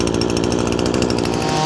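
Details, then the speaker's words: Echo SRM-225 two-stroke trimmer starts fine but after a few minutes at full throttle runs rough and unsteady, bogging; cause a clogged air filter, fixed by replacing air and fuel filters and cleaning the spark arrester. "Echo SRM-225 này như bạn đã thấy, bắt đầu ổn, không bị sặc. Và một khi tôi mở rộng van tiết lưu, thậm chí chỉ sau vài phút, nó thực sự bắt đầu sa lầy."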